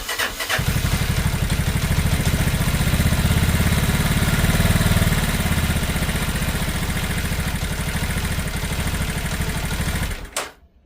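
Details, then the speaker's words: Lexmoto Isca 125, which bogs and won't restart when warm (butchered fuel pump suspected), cold start: catches into a fast, uneven idle with a loose mechanical rattle; tappets suspected to need valve adjustment. "so it's also rattly as hell I think the taets need adj in so I'll do a valve adjustment on it"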